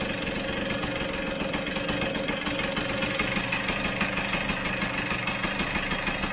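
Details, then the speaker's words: Vespa GS150 two-stroke, warm, cowling off, carburettor air screw turned in about two turns: an uneven idle that speeds up and drops, with spit-back and a stumbling miss about twice a second. The air screw is mis-set. "two did you hear that speed up and throw down again hear that yeah see that going faster slowing down feel the spit back as well"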